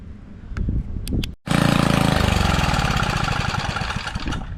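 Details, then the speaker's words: Trash-found edger said to burn oil, after oil drain, fresh fuel and carburetor needle refitted: a few weak pops, a pause, then fast uneven putter as it starts, then stalls; cause unknown. "Okay. Well, I got it to start. Now I just got to keep it running, I guess."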